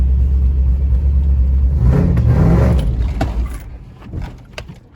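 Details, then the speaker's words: 2006 Toyota Tacoma 4x4 with a highly modified 6.0 LQ4 V8 from a 2001 Silverado 2500HD and a big aftermarket performance cam: choppy, lopey idle right after startup sags and fades out within seconds as the engine stalls. Cause not yet found; big cam may be a factor. "All right, so it's pretty obvious that we're having problems with the vehicle stalling."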